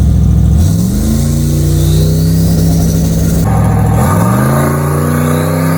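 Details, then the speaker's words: Boosted carbureted 6.2 LS swapped in place of a 406 small-block, on a street drive: strong V8 pulls through two gears, tone rising smoothly with each shift, no stumble, knock or break-up; runs clean under boost. "Sounds good. I know. It's nice set. Sounds clean though."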